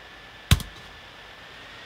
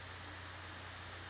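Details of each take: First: Gigabyte P34G 14-inch laptop, microphone close: a click, then an airy whoosh with faint high whistle building as the fan ramps up loudly under heavy video-effects load. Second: Owner's older laptop rendering video, played for comparison with a new Gigabyte P34G: soft, even airflow hiss with faint low hum, no rattles or rising whine; quiet, healthy fan under rendering load.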